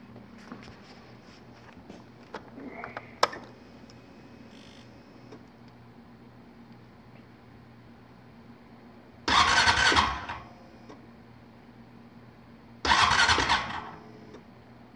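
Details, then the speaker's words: 2014 Honda Foreman 4x4 TRX500 FM1 manual-shift ATV cold start: faint steady electric fuel pump hum priming, fuel line drained, then two short cranking bursts that don't catch yet; normal. "You hear the, that's the electric fuel pump. More time. There you go. Takes a minute to get the fuel up there to the line because the drain's all out."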